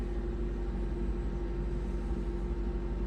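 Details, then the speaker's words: 2008 Honda CR-V started after replacing the alternator, belt and PCV valve, no battery light so charging properly: fires and settles into a smooth, even low idle with no squeal or chirp; healthy. "that's it it's running good like I said the belt go right in place sounds"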